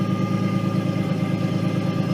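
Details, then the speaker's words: Nissan 240SX S13 with RB20DET swap, first test drive, shifter snap ring not yet fitted: steady engine idle with thin constant high whine above it; owner attributes whine to the transmission, notchy shifting, unconfirmed. "Now I'm sure the microphone can pick up the whine out of the transmission,"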